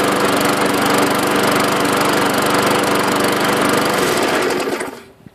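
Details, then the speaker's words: Small single-cylinder lawn mower engine, the 550, after a blade replacement and a washed air filter. Even, steady putter at constant speed, then a clean shutoff. Runs okay; owner may still check the carburetor diaphragm. Normal running. "So yeah, it runs okay. I'm probably going to mess with the diaphragm or something later on this week, see if it needs cleaned out or whatever."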